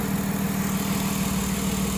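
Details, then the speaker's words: 2006 Ford Taurus 3.0L after fixing cylinder 5 misfire (P0305, P0316; oil-fouled plug replaced, torn O-ring): smooth, even low idle rumble with no skips, good fuel trims; running cleanly, normal idle. "okay look at that smooth as butter"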